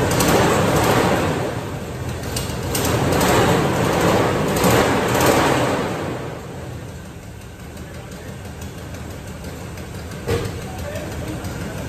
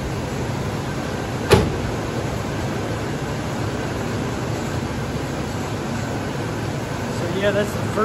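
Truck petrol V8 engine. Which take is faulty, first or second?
first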